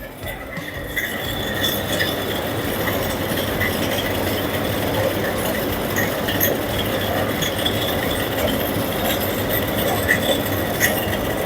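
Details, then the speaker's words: Carrier 1.5-ton (18,000 BTU) window AC running on fan speed: loud rushing fan with a steady high whine and faint irregular clinks from defective fan motor bearings, later replaced. "You can hear the noise. It's very bad noise coming from the fan motor."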